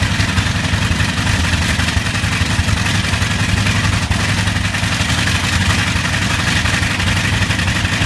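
Deep rumbling radial with an uneven beat and an occasional skipped firing pulse in the steady run; a slight misfire.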